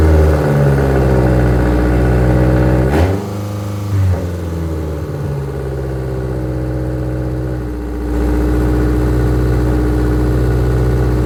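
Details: 2006 Subaru Forester petrol engine with newly installed AutoShack exhaust manifold, fitted partly for a high idle; steady even hum, dips briefly then recovers, no knock, rattle or exhaust tick; normal idle.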